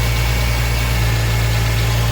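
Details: 2008 Ford Mustang first start after harmonic balancer and destroyed crankshaft sensor replaced (was no-spark no-start): steady even low idle hum with no ticks, knocks or misfires; runs smoothly.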